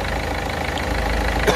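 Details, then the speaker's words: Peugeot 206 DV4 diesel after injector seal replacement: smooth, even idle with a steady low rumble and no chuffing or tapping. Normal engine sound now, where before it smoked heavily. "donc écouter le bruit là on a vraiment le bruit traditionnel le bruit moteur normal"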